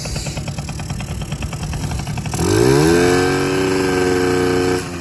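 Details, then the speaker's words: Honda NC50 Express with a new fuel line and a clean petcock and filter: an uneven idle putter, then revs climb and hang with a wavering buzz. The carburetor mixture is misadjusted; the high-speed screw is turned up and the low-speed screw down. "Okay, we have to turn up that high speed a little bit, so. And then this one's a low speed. We'll turn this one down."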